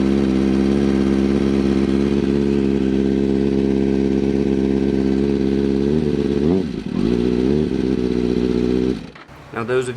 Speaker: you're going to hear a a really like loud quick ticking noise that's what the problem is so that noise right there where you can hear the ticking that is the camchain